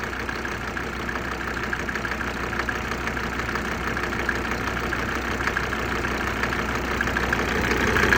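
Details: OM605 diesel idling, around 17–20°C ambient, knock starting about 2–3 minutes after glow plugs switch off, worse near 10°C: sharp regular knock about three times a second, growing louder; cause unresolved.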